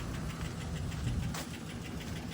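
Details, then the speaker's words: Saablazer SS truck revived after sitting a year, flat tires and dead battery: rough idle with steady light clacking following engine speed over low rumble; cause unconfirmed, engine to be pulled and a six leaker built for it. "all right clacky clack don't talk back got it out clickity clack I don't know the rest of that"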